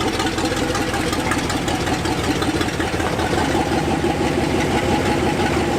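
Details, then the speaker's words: 1964 Ford F-100, revived after nine years, on a road test: an uneven, choppy V8 rumble under acceleration. It sputters in second gear, and the owners suspect the accelerator pump linkage needs adjusting. "she's a runner she kind of sputters in second the sick roads are kind of worn in second too we need to uh adjust that accelerator pump linkage"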